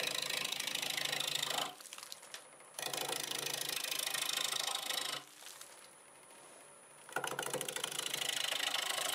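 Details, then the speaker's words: Wood lathe turning an olive wood bowl with a 1/2-inch bowl gouge at about 800 RPM: a steady, even hum with the gouge hiss coming and going. The lathe runs smooth and normal. "all right I've got it flipped around it's running nice and smooth I'm going to start with a/2 in Bowl gouge doing about 800 RPM"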